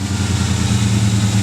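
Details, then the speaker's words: 1999 Ford Ranger idling low with an uneven, sputtering pulse and hissing from a vacuum leak at the hose connector under the throttle body, driver side; plugging the hose smooths the idle. "when i plug the hose you can hear the engine stop sputtering and so like right now it's not running that smoothly"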